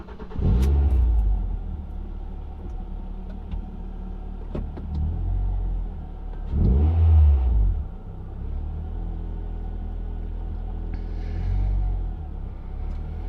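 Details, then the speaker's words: Ford Fiesta ST150 on its first cold start after replacing a split PCV hose behind the intake manifold to cure a sticky idle; slightly high cold idle with a few throttle blips, even and smooth underneath; normal until warm. "to wait for the car to warm up properly because it sits a little bit high idle until the until the cards warmed up"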